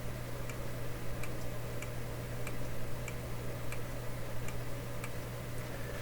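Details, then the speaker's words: Sony TC-105 reel-to-reel tape recorder: crisp light tape-switch clicks about every half second over steady motor hum; switch working normally, unit just needs cleaning and lubrication. "spring that's the tape switch hey listen carefully you can hear it click"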